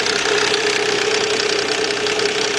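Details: 2004 Nissan Quest 3.5 V6 at idle after bank 1 camshaft position sensor replacement (code P0340), codes cleared; rapid rattly tapping over a steady mid-pitched drone, noise the customer reported. Engine knocking, source not pinned down.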